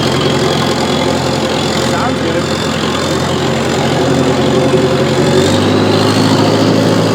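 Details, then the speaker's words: Old bulldozer diesel idling: lumpy, uneven beat with a regular stumble, running on three cylinders, lacking power in first gear pushing a pile; dead cylinder misfire. "it almost sounds like it's missing on one cylinder actually I know it is"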